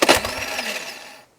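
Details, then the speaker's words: 2024 KTM TBI with only 5 hours: a sharp initial click and brief starter whir that dies within a second with no cranking. The starter motor tries but the bendix doesn't engage the flywheel; owner believes the bendix has broken. "if we go to start it here you should hopefully hear it will try to start but it doesn't actually Engage The Fly wheel"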